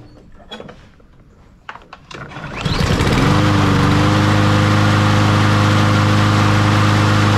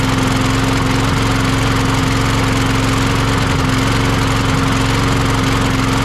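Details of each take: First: Troy-Bilt (MTD) push mower after a carburetor replacement and fresh fuel: it catches and settles into a steady, even drone with no stumbling. Normal running. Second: Troy-Bilt (MTD) push mower that wouldn't start: loud idle with a lumpy, uneven beat instead of a smooth drone, still running rough with that carburetor fitted; faulty carburetor.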